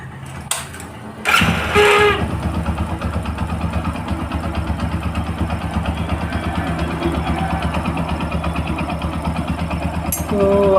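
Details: Motorcycle after timing chain replacement to cure chain noise: starts promptly and settles into an even, steady idle with no chain rattle or ticking; sounds healthy.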